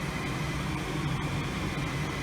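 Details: Goodman furnace not heating, pilot lights: steady low whooshing hum with even fan drone as the inducer fan spins up at start of the heat cycle, called from the Nest thermostat, before igniter clicks.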